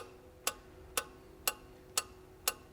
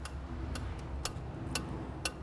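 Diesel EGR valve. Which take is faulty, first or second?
second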